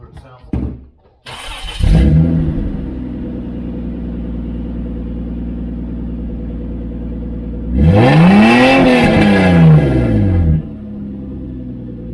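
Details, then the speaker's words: Toyota Land Cruiser idling loud then one sharp rev, after installing catalytic converters with a straight-through muffler; exhaust dropped from 137.2 to 128.7 dB, still loud but less harsh. "ah we got it down to 128.7 almost a 10 decibel change there exactly at nine so i bet if we add a little more piping it wouldn't be so bad"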